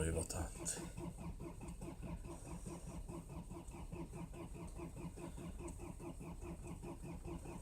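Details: Cold start attempt at -20 °C, likely the Mercedes diesel that starts hard (the Land Cruiser HDJ80 starts fine): steady, rapid cranking pulses, about five per second, that never catch; a hard cold start.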